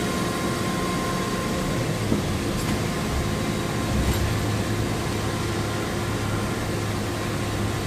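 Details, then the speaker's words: Heater blower fan on high with engine at operating temperature, 52° outside: steady, even rush of air with faint motor hum, no ticking or rubbing; audible but not very loud, running normally. "So, if you compare the last video to this video, it's probably going to be quieter, but like I said, it's I can hear the fan, but it's not like super loud."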